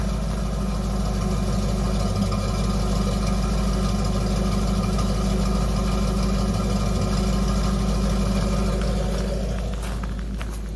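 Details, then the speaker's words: 1993 Ford F-150 Flareside idling with new custom 2.5" header-back exhaust, single spun cat and Flowmaster 10 Series muffler dumping ahead of the rear passenger tire: deep, even burble about three pulses a second. Normal exhaust note. "got a good sound to it."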